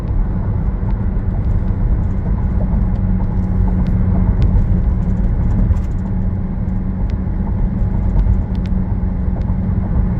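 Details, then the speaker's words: Low, steady hum droning through the car while driving, increasing with speed. The owner first suspected a wheel bearing, but it was a worn rear differential (the transfer case was also involved). "So I'm going to give an attempt at listening for this wheel bearing here. You can see it increases noise with speed."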